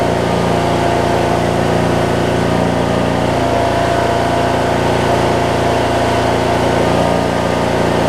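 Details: 2007 Craftsman LT2000 riding mower with Briggs and Stratton engine, sat a while and backfired when starting, now finally running; holds a steady, even idle with no popping or hunting; normal idle.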